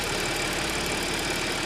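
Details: Audi S after repair: petrol engine idles with a steady even hum, no rattle or knock; the earlier cold-start engine noise, attributed to the timing chain, is now gone.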